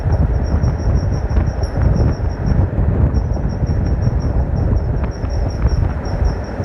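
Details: A thin high-pitched squeal comes and goes over heavy low driving rumble; the Flex has an intermittent squeal of unknown origin.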